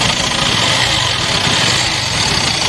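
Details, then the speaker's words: Yamaha FZ-V3 single-cylinder bike idling right after start with a busy, tinny metallic rattle over the beat; the source is not yet identified. "इसका problem यही है कि जब start हम करते हैं तो इसम आवाज आता है न न की आवाज इसम आता है"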